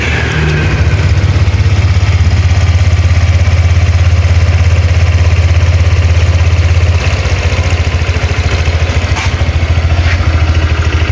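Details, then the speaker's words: Honda Vario 125 LED scooter after cylinder head rebuild with original parts, fixing a very rough head-area noise (suspected cam chain tensioner): steady, even low putter at idle, no rattle or knock; radiator shows no bubbles, head gasket sealed. "Untuk suara mesinnya sudah halus, kita cek di bagian radiator, usahakan itu nggak ada buih ya, karena kalau ada buih itu biasanya itu packing head itu bocor ya."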